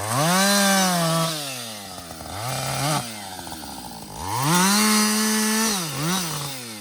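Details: Husqvarna 562XP 60cc chainsaw, back from the shop after dealer reflashed its software for dying when hot and stumbling, bucking about two-thirds of a tank in: crisp two-stroke howl bogs slightly each cut, clears cleanly on release; healthy under load.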